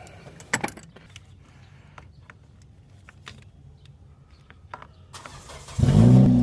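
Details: 2016 Acura TLX 3.5L with a no-start from a stuck starter plunger, after starter replacement: quiet clicks, then the engine catches promptly and settles into a smooth, strong run; a healthy start.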